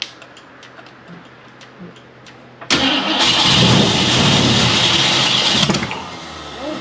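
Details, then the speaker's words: 1969 Ford Mustang Fastback, first start attempt in 30 years, Mallory ignition, fuel poured into carburetor: quiet ticking then a sharp bang into a loud rough burst that fades; backfire through the carburetor, fire extinguisher needed. "A little backfire through the carburetor."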